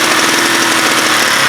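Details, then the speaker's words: Huoniao HN125 motorcycle revved after a taped-and-sealed part was refitted, before the carb comes off; small single revs with a ragged, uneven bark, it's not happy and struggles under throttle; rough running, cause suspected, not confirmed. "it's not happy."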